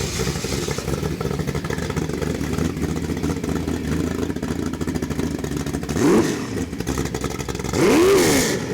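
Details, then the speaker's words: Ford 347 stroker small-block, 450 hp, Holley Sniper EFI and Holley distributor, for a 1967 Mustang, on a test stand with just mufflers: deep V8 idle with two crisp throttle blips and no knocks. Normal revving. "Hey, that's what a badass engine sounds like when you got just mufflers on them."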